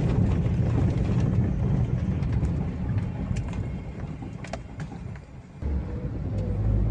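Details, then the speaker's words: 2013 Daihatsu Xenia with electric power steering, road test on a rocky road after repairing the steering gearbox/rack that caused a front-end knock felt in the steering wheel: heavy tyre and road rumble only, no knocks. The front end is back to normal. "Ya sudah halus tidak ada bunyi kasar ya yang bunyi krutuk-klutut di bagian kaki-kaki depan yang terasa di setir"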